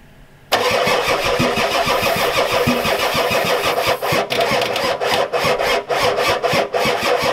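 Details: Ford F-250 XLT 7.3L IDI diesel with new injectors, glow plugs on: long steady cranking, even starter rhythm, never catches; little fuel reaching injectors, owner suspects weak injection pump, fuel shutoff solenoid untested.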